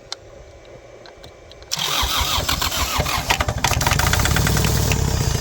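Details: Kubota L3450 diesel tractor, sitting for years, after bleeding the fuel lines: quiet, then quick uneven cranking clatter that catches into a rough running beat; injection pump confirmed delivering fuel.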